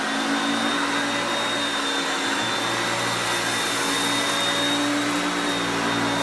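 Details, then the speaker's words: Hoover Concepts self-propelled upright vacuum after cleanup, demonstrated on luxury carpet: smooth steady motor whine at constant pitch, no grinding or squeal, still picking up well; normal running. "when you put it on the drive for the self-propelled you will hear the motor pitch change as the gears change to me moving it back and forth as you can see there but it's still picking up really well"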